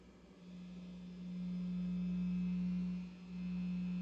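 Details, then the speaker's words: Electric guitar plugged straight into the amp through a shielded cable, master volume at the middle, reduced power: single steady low hum with no crackle or rising buzz, only a very faint acceptable residual buzz. "so I do here kind of a little more [Music] like very faint faint Buzz"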